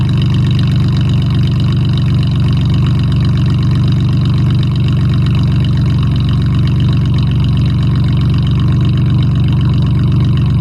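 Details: Mustang V6 with dual exhaust, 240,000 miles, cold start: deep steady idle with a fast sharp puffing tick riding on the exhaust note from an exhaust leak.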